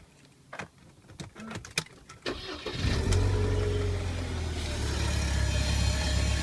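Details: Car serviced last week, cold start in the morning: starter cranks, engine catches into a loud droning idle with heavy low hum, returning to normal after about 30 seconds; cause not identified.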